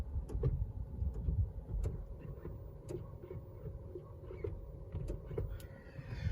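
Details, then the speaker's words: 2021 Honda CR-V Hybrid EX, three months old: sharp irregular light solenoid-like clicks from under the hood each time the brake is tapped; dealer says normal, owner believes not normal, cause unknown. "That's coming from under the hood up here. It's whenever I hit the brake. It's kind of solenoid clicking."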